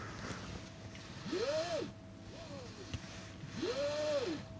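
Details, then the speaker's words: Tesla Model S P100D, cabin: squeal rising and falling every two to three seconds over quiet cabin hum; after service fixed a rattle, the trim part now seems to rub against something inside, louder on one side; cause suspected. "It's, so they fix the rattling noise, but now makes a loud sound. So looks like it's rubbing against something inside."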